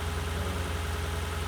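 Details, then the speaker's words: 2007 Lexus LS460L V8 after replacing spark plugs and valve cover gaskets, driven home: smooth steady idle, even hum, no knocks or misses; running clean and healthy. "alright guys so I finally made it home car drives good everything sounds good"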